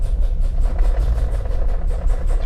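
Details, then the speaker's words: Racing clutch with a light pedal, throwout bearing possibly bad: harsh metallic clatter pulses about four times a second over the idle rumble, worse with the clutch released and less with the pedal in. "I hate the way it clangs around when the car is running. I guess I can turn it on and demonstrate that."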